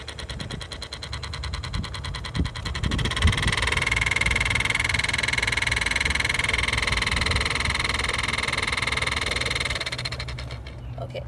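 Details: Toyota Camry with newly replaced AC blower motor, car idling: steady even whir of the fan spinning freely, constant hum with no scraping or ticking; blower motor operating normally after replacement.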